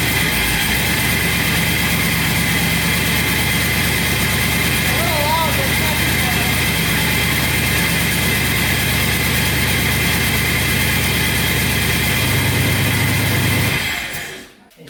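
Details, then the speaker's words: Triple-turbo LS-swapped Ford Ranger, passenger-side exhaust manifold held by only two bolts with no gasket, cheap exhaust cutout valve: a loud rough idle with a quick steady puffing tick from the leaking manifold, then it stalls. "had the manifold fitted on there so there's only two bolts holding the passenger side in with no gasket so that's going to make a little noise"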